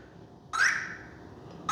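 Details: Arrma Vorteks Boost 1:10 RTR stadium truck on LiPo, after power cycling; two short high-pitched beeps a second apart, ESC warning, throttle allowed only every five seconds; suspected binding issue, cause unknown.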